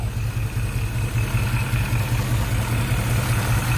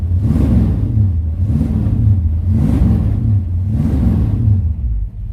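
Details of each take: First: Shelby GT500 Mustang V8 at idle after sitting about a week, oil pressure reading about halfway, no PCV hookup: steady low idle with faint thin whirring; owner suspects worn water pump bearings. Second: Shelby GT500-style Mustang V8 just after cold start following a week sitting; deep rumble blipped about once a second, revs rising and falling evenly, no knock or miss, no smoke; normal idle, only water pump bearing noise noted.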